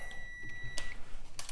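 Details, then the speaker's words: Dryer bimetal thermal switch reset by pin pressure through a drilled 1/16 in hole: a clear, steady, high meter beep shows the switch is closed and conducting again. "So if you have this issue and it keeps or you trip this, you may want to try drilling this, and then you got a little bit of pressure and it resets it."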